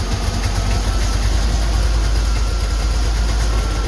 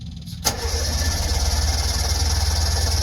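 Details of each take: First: Two-stroke Subaru 360 van, cold start on choke after sitting a while: the engine catches and settles into a fast, slightly uneven buzzing idle with a steady low rumble. It starts smoking as it warms up. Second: Two-stroke Subaru 360 van, not run for a while, battery freshly charged, choke pulled, half tank of gas: the starter churns at about four even beats a second but the engine never catches. Cranks without firing while the fuel pump is heard pumping.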